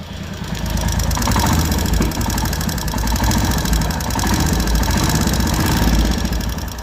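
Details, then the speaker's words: Royal Enfield Hunter 350 single at idle before tappet (valve clearance) setting, due at the third service; quick steady light ticking over the thumping idle, regular with engine speed; valve tappet noise from loose clearance. "पहले तो आप इसकी Hunter की 350 है ये टैबिट की आवाज सुनिए इसकी।"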